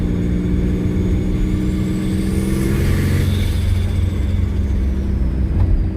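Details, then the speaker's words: Twin turbo V6 Mustang with cheap turbos that won't spool, no blow-off valve, coupler taped after a leak, driving around the block: turbo whistle climbs then flutters on lift-off, no boost made; compressor surge. "Woo, man, you hear that compressor surge? Oh man."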